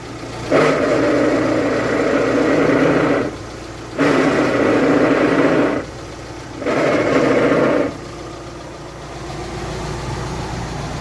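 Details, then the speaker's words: VW Amarok at idle with a near-transmission microphone: three bursts of harsh buzzing grind each time the clutch pedal is fully pressed, stopping when released; worn pilot bearing, fixed by removing dual-mass flywheel and replacing the bearing. "Simplesmente a hora que nós pisa na embreagem lá. Ó, chega até o final, ela faz."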